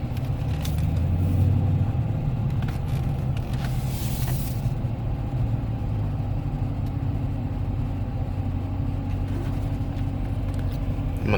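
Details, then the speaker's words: 2015 Dodge Challenger SRT 392 after replacing the 3.09 rear differential, in break-in: sharp slow turn in the same spot that growled before, A/C off; only tyre noise and road rumble, no growl or whine; healthy. "even turn off the air nothing nothing but tires I think we're we're looking pretty good"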